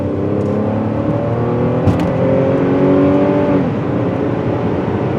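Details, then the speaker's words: 2009 Buick Lucerne CXL 3.9 with cold-start no-codes misfire complaint, driven at full throttle: pitch climbs steadily then eases, even and smooth, no stumble or skip; not misfiring under heavy load. "So she's not misfiring under what we would consider heavy load."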